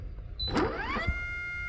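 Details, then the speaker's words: 2018 Kegel FLEX lane machine oil pump motor toggled on via input/output test menu: motor whirs up in rising pitch, settles into a strained steady whine, then clunks as it locks up under load; suspected failed oil pump (A or B). "See how it locked up? Roll backwards a little bit. Let's try it again. Locked [Music] up."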